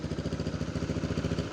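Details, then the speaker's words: Neglected used Yamaha Mio scooter at idle: low, lumpy thrumming with a steady pulsing shake; the engine vibrates heavily at idle, cause not yet known. "suaranya gini. Geter banget tuh."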